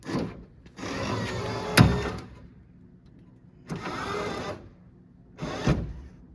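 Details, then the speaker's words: 1979 Chevrolet Camaro (2nd gen) fresh power window motor back in the door, run up and down: three smooth one-second hums, even pitch, no grinding or clicking; works fine, though the undersized feed wire gets hot. "Oh, that's getting hot. That wire is way too small for that motor. She working though."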